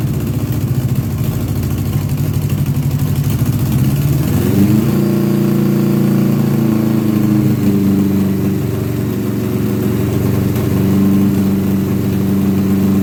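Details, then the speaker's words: 1982 Honda GL1100 Goldwing Aspencade flat-four, sat 3 years, supposedly rebuilt with new plugs, fresh gas: lumpy uneven idle, picks up briefly on a throttle blip then falls back irregular; cylinders drop in and out, couple of carbs hit or miss. "This is the part I always talk about when I say, "Oh, yeah, it will start and run, but it ain't going to run right.""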